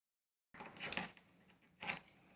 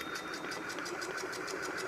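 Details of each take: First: Ceiling fan after repair without replacing bearings: after a few handling taps, settles into a smooth steady hum with no knocking or jerking; before repair it clattered and jerked. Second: Ceiling fan running gives a fast, even clicking knock, about six a second, and jerks, shaking the whole assembly; fixed without replacing the bearing.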